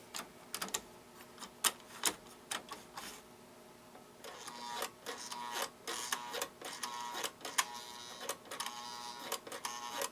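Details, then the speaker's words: American Flyer 370 diesel locomotive on track with the controller in AC mode: irregular sharp clicks under a faint hum as the reverse mechanism cycles, but no motor whir; the motor is not running, and the reverser may be jammed. "sounds like we got some action out of the reverser, but nothing out of the motor, which is no surprise."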